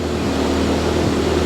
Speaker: You hear it idle and then it slowly just cuts off. It just drops.